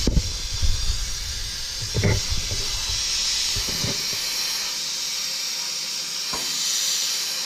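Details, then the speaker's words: Jeep engine-driven on-board air system: a steady high hiss continues after the compressor shuts off, with pressure already down to about 60 psi. The leak is felt at threaded fitting threads, to be taken apart, cleaned and resealed with new thread sealant. "got ourselves a little leak there feels like it's coming through the threads so going to have to take that apart and clean that up sometime put some new some new thread stuff in"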